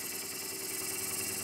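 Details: Wood lathe at speed setting 620 dressing the bottom of a green honey locust bowl and cutting a foot. A steady high hiss of the tool over an even spindle hum. Running normally.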